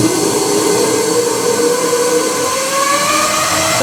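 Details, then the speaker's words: Toilet refilling with a steady rush of water and a loud whistling hiss climbing in pitch; the fill valve is not closing, so water keeps running and leaking. "this some hissing noise that means the valve is not closing that means the water is leaking"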